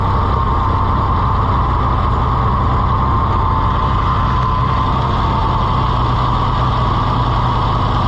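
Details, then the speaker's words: Farmall IH 560 tractor after the owner altered the timing: steady low idle with a recurring stumbling miss; later found out of time with spark plug wires in the wrong order. "Let's try to start it again. It just seems like it's got a miss, and I don't know."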